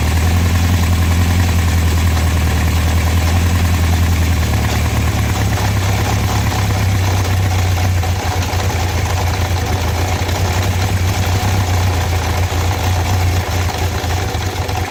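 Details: Honda CB750 four-cylinder idling: loose metallic rattle from inside the engine, louder on the brake side, before shutdown; cause suspected, not confirmed.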